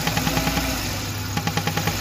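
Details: Old-model Maruti Suzuki Wagon R engine, LPG kit recently removed: quick light ticking in short bursts over steady idle, caused by a pipe left disconnected with its clip missing since the LPG removal.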